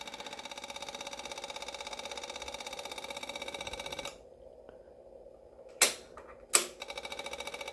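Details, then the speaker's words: Yamaha V-Star 650 Classic, new fuel lines, fuel pump priming for carbs: steady fast ticking runs on without shutting off, then short bursts; fuel pump never builds pressure, leaking down gas, running continuously due to leaking pump seal. "so all right well it's it's definitely got a crap fuel pump in it so I'm going to shut that off so doesn't keep trying to Prime I was wondering why I wasn't building pressure I was like this should have turned off by now"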